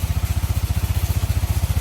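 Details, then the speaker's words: Yamaha NMAX 155 scooter after major service for late oil changes, new cylinder block and roller housing: even, steady single-cylinder idle, no knocks or rattles on top; engine runs smoothly and healthily. "nah ini suara mesinnya sebenar bagian blok Ya sudah baru kemudian rumah roller sudah kita ganti ya dengan yang baru"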